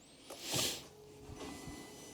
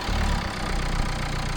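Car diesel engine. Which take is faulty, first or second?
first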